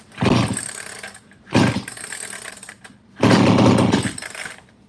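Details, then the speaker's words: ECS-356 Japanese chainsaw left outside for years, sprayed with brake cleaner as starting fluid: three short bursts of rough rapid two-stroke firing, each dying within a second; it has spark and compression and fires. "look at that that sucker fired huh that's pretty cool"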